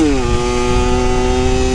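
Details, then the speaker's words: Rebuilt Yamaha YSR50 two-stroke mini street bike after crank seal replacement and full engine reseal to cure an air leak, running with no airbox, jetted slightly rich; crisp, steady high buzz under throttle with no sputter or bogging, normal running. "dude it's running good dude the speedometer obviously don't have a spedometer hooked up but like this is no airbox on too"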